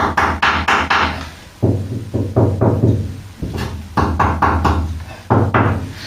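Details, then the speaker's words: Ford Cortina Mk3 shell after fresh paint: knuckle taps on body panel give short, dull thuds without metallic ring after heat-applied sound-deadening pads; deadening works. "So what you get now is a much duller sound than we used to get. See that metallic noise? You don't quite get it."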